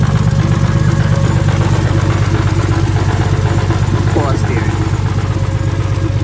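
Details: First run of a temporary replacement engine (original block destroyed), fuel pump fuse refitted, logged with HP Tuners: loud idle pulsing near 160 per minute, rising and falling unevenly. The owner suspects a vacuum leak, possibly the plugs; the cause is unconfirmed.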